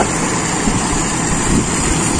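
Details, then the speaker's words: Toyota Kijang with Aisan carburettor, first start after carb disassembly and reassembly, start setting, engine not yet at working temperature: starts straight away and settles to a steady, even idle with no hunting, misses or stumbles. "Wah ternyata langsung menyala ini [Musik] Anteng lagi"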